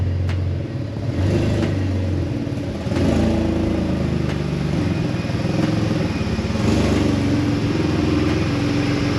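A deep, loud rumble with sharp puffing ticks over an uneven idle, like an open pipe; a possible large exhaust leak.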